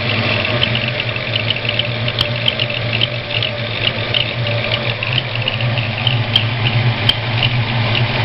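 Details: Ford 302 V8 idling: faint high rhythmic chirp from cylinder 1; gone with both rockers removed, returns with exhaust rocker installed; owner suspects a bad roller, not confirmed.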